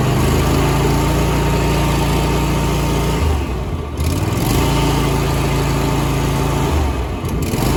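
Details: Single-cylinder mower engine after replacing factory throttle assembly that kept slowing: steady drone with two brief speed dips that recover at once; holds revs, runs normally.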